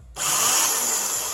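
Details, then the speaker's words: Starter tested via the solenoid, not engaging: quick, smooth, high-pitched whir that spins up and holds steady, pinion not pushed out to the crank but rotating freely; normal free spin, starter not seized. "the sound you want to hear that means that it's free spinning in there it's not pushing the gear out to hit your ear crank but it is rotating in there and it's free"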